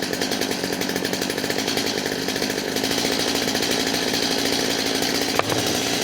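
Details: Stihl MS250 chainsaw after carburetor and fuel line replacement, held at high revs: steady but burbling four-stroking drone instead of clean scream, running rich on the high-speed side; high screw to be closed a little.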